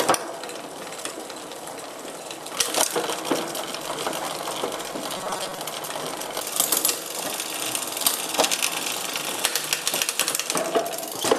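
The chain runs with a light, even ticking and no rattling or skipping between cogs; the gears are shifting cleanly.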